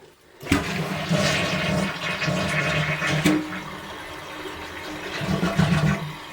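A strong rushing flush that swirls and drains evenly for several seconds, then tails off into refilling; the flush is working properly.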